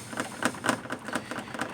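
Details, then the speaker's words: 1992 Lexus ES300: sharp hollow clacks, about four or five a second, as the radiator is rocked by hand; radiator loose at its mounting brackets, suspected source of rattling noise heard when driving at speed. "radiator is loose and I have these brackets right here"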